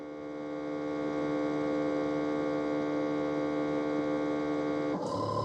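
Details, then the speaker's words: Ecovacs Deebot T80 Omni dock during a mop wash: steady water pump hum, then the roller mop wash starts; the pump, silent during the first cleaning, now works and water reaches the mop. Normal. "I think the water pump is [music] working now. Yeah. And that's I hear that. That sounds like a water pump. And also there's the mop roller."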